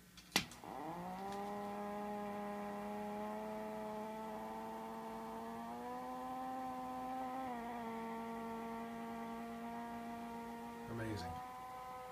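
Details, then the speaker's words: Mesa Mark V guitar amplifier, channel 3 only, no guitar plugged in, all tubes replaced: loud steady buzzing hum near 200 Hz with stacked overtones; channels 1 and 2 quiet, cause not identified. "notice the guitar isn't even plugged in so there's no interference from outside sounds like there's a motorcycle starting up in there changed out all the tubes I still get the same [Music] noise"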